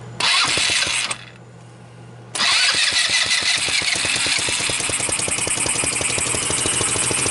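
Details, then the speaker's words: Sunl 150cc dune buggy GY6 engine with no spark, fixed with a $14 pit bike AC CDI ignition kit; brief crank, pause, then it catches into a quick, even idle putter with no misses, running well. "there we go great it's running right on the $13 hit by completion system 1350 everything is good"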